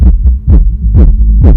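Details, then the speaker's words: Soundstream XXX-15000D car amplifier under repair, gain set very high: deep, undistorted bass thumps about twice a second through the speaker, with no hum or crackle; both channels output normally. "Bon, alors ce côté fonctionne. Et ce côté-là pour voir. Oh, ben ça marche."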